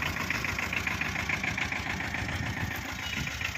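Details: 2012 Tata Ace diesel, two owners, long parked, new battery, started in neutral after the glow heater beeps. Busy, slightly rattly diesel clatter at an even idle just after start-up; ticking over normally.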